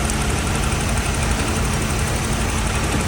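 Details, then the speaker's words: Holden VP with a GM3800 V6 has a low, lumpy idle with missing pulses from a dead-cylinder misfire. A different DFI coil pack has failed each time, three in about 3–4 months; new coils and thermal grease are planned. "I've gone through all three of them. And each time it's been a different coil pack that's failed,"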